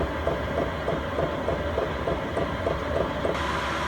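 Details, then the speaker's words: Chinese all-in-one diesel heater newly installed in a van, 12°C inside, target set to 16°C, burner picking up speed after clicking: even fan roar with fuel-pump ticks about three a second as hot air starts; normal warm-up toward full burn. "So that's picking up speed now, and I'm just starting to feel hot air coming out of here."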